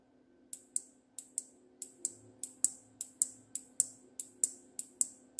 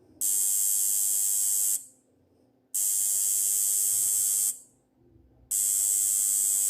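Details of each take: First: Electromagnet coil mechanism on DC supply: crisp, dry clicks about sixteen times in five seconds as the armature pulls in when power is applied and releases when removed. Normal relay clicking. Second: Relay/electromagnet coil connected to 50 Hz AC mains: harsh, even buzzing in bursts about 1.5 seconds long with silent gaps as the armature repeatedly pulls in and releases; relay coil buzz on AC supply.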